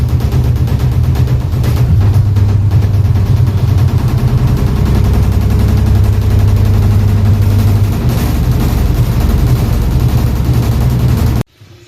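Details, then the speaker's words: Automatic top-loading washing machine about 5–6 years old, during spin: heavy rapid continuous thudding growing louder, tub knocking hard against cabinet; owner suspects worn suspension rods, drum banging. "它等一会儿只要脱水的时候，它就会咣当咣当的响，越来越响，越来越响。"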